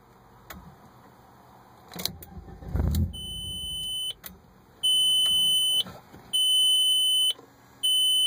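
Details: 1998 Audi A4, key turned: short crank catches about a second and dies, repeated high chime beeps follow; starts then stalls, cause unknown.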